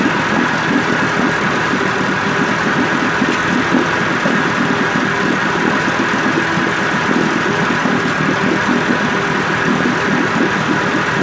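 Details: 1958 Evinrude 18HP Fastwin two-stroke outboard with replacement powerhead, new head gasket, rings, crankpin needle bearings and NGK B6S plugs, on heavy 30-weight oil mix, smoking slightly, cover on. Steady, even buzz at constant speed, no misfires or surging: normal idle.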